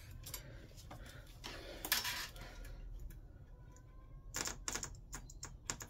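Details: Replacement 12V pulse dosing fuel pump for a Chinese diesel air heater, bench-powered directly at its connectors to test it: sharp dry clicks in short runs, the pump stroking as it should; working pump.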